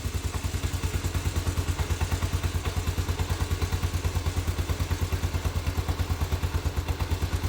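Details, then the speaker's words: Postie bike single-cylinder after new Lambda MC carburettor and swapped fuel cap to cure flat spots, first start, idle not yet adjusted: even steady putter at quick idle, no misses or knocks; runs cleanly. "Yeah. That's not bad. We haven't even adjusted the idle yet. Might just knock it up a little bit in speed."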